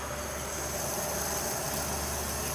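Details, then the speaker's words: Leak-down test at 50 psi, piston at top dead centre on compression: steady quiet hiss back through the intake, over 20% leakage versus about 10% acceptable; intake valve not sealing, coolant later seen bubbling under it. "put at 50 and I hear it coming through the intake we have 10% leakage is considered acceptable if I remember correctly so right now we're at over 20% leakage"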